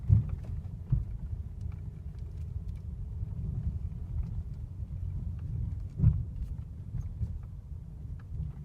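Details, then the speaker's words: Mercedes W212 cabin over bumps after the wiper was removed, the plastic cowl trim lifted and sprayed with WD-40: only dull suspension thumps and road rumble, no squeak from the dash area. The interior squeak is gone. "вот видим по кочкам [музыка] кроме ударов ничего не слышно никакого скрипа"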